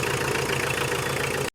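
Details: Tata Winger diesel after timing belt replacement and valve repair, warm engine idling: even diesel idle with a steady low beat, no misses or odd knocks; running smoothly, normal.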